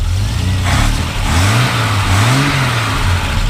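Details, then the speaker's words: Revving a 1968 Triumph TR250 (new cam, new head gasket, dual Weber carbs) just after cold start on choke: smooth even revs climb and settle cleanly, no knocks or misses; runs smooth, normal. "You know, it sounds real smooth, and you know, it runs good."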